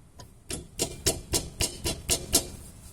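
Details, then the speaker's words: Sharp, regular clunks about four a second as the front suspension is rocked; not the brake pads but worn stabilizer (sway) bar bushings. "a gente pensa que pode ser as pastilha batendo ali mas não é pode ser também na parte extensora né estabilizadora aqui ó"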